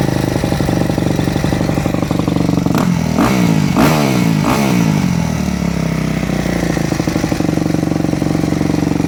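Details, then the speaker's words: Four-stroke motocross bike (e.g. YZ250F/YZ450F) with Keihin FCR-MX carburetor, after the fuel screw is turned back out: single-cylinder idle blips high for about a second, then drops to a steady normal idle; fuel screw set properly. "okay ideally we want it to sound just like it did there where it idles high for just a second or so and then it drops back down to your normal idle that typically means your fuel screw is set properly"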